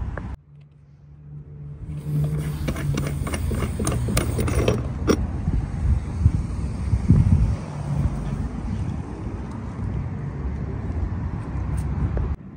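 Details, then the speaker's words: 1998 Ferrari 456 GTA, recently out of storage with a random misfire and earlier shaking: steady, low, even idle with no stumbles or shake, some handling noise early on; normal idle. Owner still plans new spark plugs. "all right well actually so far it seems really smooth seems like it's kind of idling pretty good it sounds pretty good"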